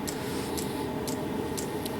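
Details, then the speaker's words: 12 V heater with a bodged 24 V dosing pump, still in its lighting stage and not yet in full run: crisp ticks about twice a second over a steady low hum as the pump pulses. Normal operation. "pump is pumping heater's heating so this is it's still in its lighting stage it's not going into actual full run yet"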